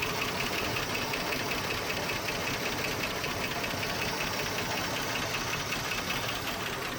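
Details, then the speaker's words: 1976 Postal Jeep (long parked in woods) at idle: steady idle with light regular ticking, two to three a second, valve train; no oil pressure gauge reading, owner suspects oil problem; runs well, little smoke. "You can hear valve train. You can hear a lot of things. It's a shame, it runs so good."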